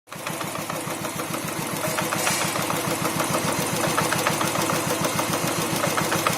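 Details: New Royal Enfield Thunderbird 350X single-cylinder idling: steady thumps with dry metallic rattle from clutch area, present since new despite repeated service visits. Cause suspected, not confirmed.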